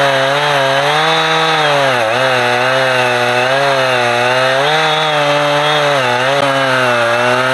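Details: Husqvarna 455 Rancher two-stroke chainsaw cutting a heavy block of big wood: strong steady howl dips slightly as the bar bites and recovers cleanly, running healthy under load; its earlier power loss when warmed up was traced to a discoloured, dirty fuel filter.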